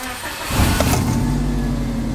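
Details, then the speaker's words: Subaru Legacy wagon just flashed to Cobb Accessport V3 Stage 2 map after an earlier no-start issue was fixed: short crank, engine catches at once and settles into a steady, even idle that keeps running; normal start. "hey hey it's staying on it's staying on wakey wakey it's on the car is running stage two"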